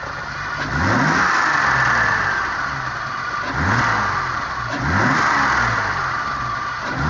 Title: M30B35 E30 - problem solving - whining noise